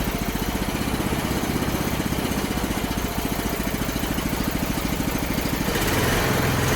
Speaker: all right another success you can even hear it smooth out a little bit once I hook the tube up